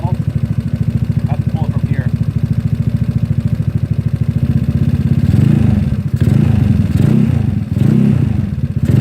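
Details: GY6 single-cylinder scooter, started while holding the brake lever: settles into a steady, even low putter around idle with the earlier squeak now gone; engine sounds healthy.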